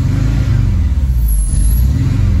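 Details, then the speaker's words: 1987 VW Vanagon Syncro Westfalia, parked since 2001, with brake booster disconnected: idle surges and hunts hard; vacuum leak at the brake booster suspected. "doing the same thing. Now it's surging. It's surging a lot. It's hunting real hard."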